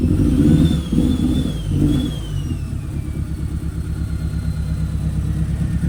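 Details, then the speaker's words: Ford Focus RS running again outside after oil leak and engine bay work: idle exhaust pulse stumbles and surges unevenly, running lumpy like a misfire, cause unknown to owner. "It's running really, really lumpy. I don't know why."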